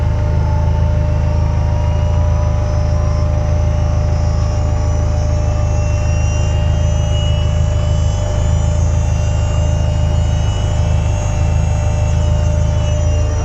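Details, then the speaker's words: Widebody EK9 Honda Civic K20 turbo sequential racecar, engine running, electric power steering switched on: high constant jet-like whine over deep steady engine drone; normal electric steering pump. "uh you'll hear it kind of power steering always falls up like a jet engine"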